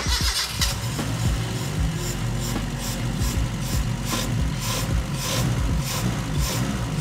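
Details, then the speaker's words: Proton Saga Magma 12V 1990 engine, restored and overhauled, first start with exhaust only half fitted: catches and settles into a deep, loud, pulsing idle with booming exhaust note; loud because the exhaust system is incomplete, noises to be adjusted later. "Exhaust dia sampai setengah aja sebab tu bunyi padu sangat. Okay. Bunyi-bunyi ni nanti kita adjust lah, tengok kenapa."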